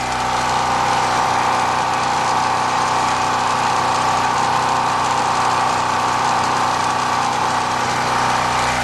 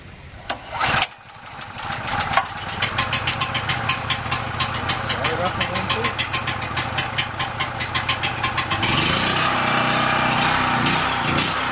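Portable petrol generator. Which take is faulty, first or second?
second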